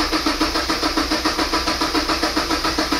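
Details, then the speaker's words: Mazda MX5 NC after engine transplant, plugs and coil packs disconnected: steady starter cranking with even pulses about three or four a second, never firing; cranking with ignition disabled to prime oil before reconnecting. "we're going to crank it um to get oil flowing around the engine basically and then we're going to reconnect all of them"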